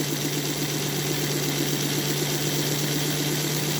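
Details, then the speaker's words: Model locomotive on an NGS Northern clone chassis with all 8 wheels pressed on, not locked, running at 50% power: steady low hum and soft even whir of the wheels, gear noise gone, smooth quiet running. "But if you listen, all you hear is the worring of the wheels. The gear noise is gone. The WW is gone."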